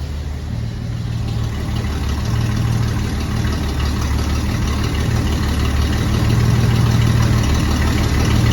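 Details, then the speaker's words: Chevy cab-over van conversion V8 idling through straight pipes with no mufflers fitted yet; glass packs are planned. Deep, steady burble with even firing, no misses or surging; a healthy idle that is not very loud. "Said I don't have mufflers on it yet, but it's got to sound better than what it did with the coming out straight manifolds. The thing is really not that loud."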